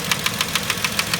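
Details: 2010 Vauxhall Corsa 1.0 Ecoflex three-cylinder replacement engine at idle: sharp light tapping about seven per second, sounding like big or little end knock, actually worn swirl flaps in inlet manifold; fixed by blanking swirl flap vacuum pipe.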